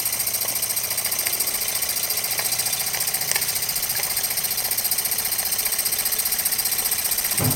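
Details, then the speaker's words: Jensen #5 toy steam engine, electrically heated and running at very slow speed, with enough water for probably about half an hour. Even, steady steam hiss with light regular ticking, smooth and unlaboured. Normal running. "I kind of like to watch it run at a very slow speed and when you're running some toys this is about the right speed"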